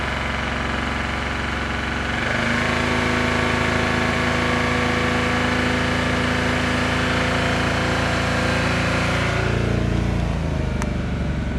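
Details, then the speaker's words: Geo car while driving: the engine revs, then sags and dies as soon as the foot comes off the gas. It stalls when the throttle is released; earlier it had bogged and seemed to run on one cylinder. Cause not confirmed. "see that I love my foot off the gas and it just dies see if anything will happen if I try and start it up again"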